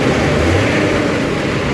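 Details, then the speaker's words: MK3 Supra with a 2JZGTE VVTi swap, fuel pressure regulator set statically to 43 psi giving about 12:1 AFR on revs: a steady, even whooshing roar from the engine-driven clutch fan with no knocks. This is normal clutch fan noise that the owner dislikes. "I just really don't like that fan sound. I don't like the sound of a clutch fan."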